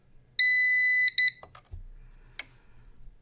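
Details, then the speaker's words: CyberPower 625VA UPS, supposedly bad, powered on: one long high beep, a short second beep, then a couple of soft relay clicks, likely a battery self-test; battery reads 12.75 V and the unit seems to judge it good. Normal startup. "Okay, we're on. We hear some clicks."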